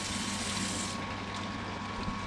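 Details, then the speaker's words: Off-grid water system, pump above underground tanks: water pours into the priming tank, splashing and drumming hollowly against the bottom of a nearly empty tank; prime running low, needs refilling. "And then I don't know if you can hear that, but it's you can hear like it's pretty empty. It's tapping the bottom. So I'm I'm about out of prime."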